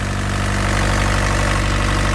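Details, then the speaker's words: Mini excavator diesel after changing fuel filters and bleeding air from fuel and injector lines, previously choking out: steady, even idle with smooth low thrum, no stumbling or misses; normal diesel idle. "i'll come back once i get sounds like it's running a whole lot better um"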